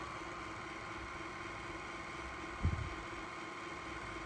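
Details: Ecovacs Deebot X1 Omni robot vacuum after its main brush motor gear assembly was cleaned of packed dirt: quiet steady whir with one brief thump, no grinding or clicking; the brush drive runs normally.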